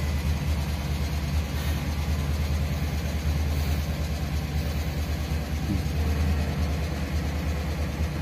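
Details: Chevrolet Tahoe V8 at idle: rough, uneven idle with irregular dips and stumbles in the low rumble, missing on a cylinder; misfire, suggested checks are coils, plug wires, plugs, injectors/fuel system and wiring.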